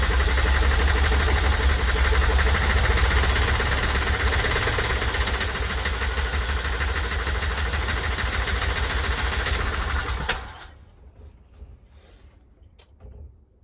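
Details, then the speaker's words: 1972 Winnebago Brave 350 Chevy V8 after major failure, timing chain suspected stretched or skipped: lumpy, uneven idle with irregular stumble as if one cylinder not firing, possibly running on seven, then cuts out; misfire suspected, carb fuel supply also being addressed. "sound good guys doesn't sound good it is running on all eight cylinders i think well maybe seven cylinders could be seven"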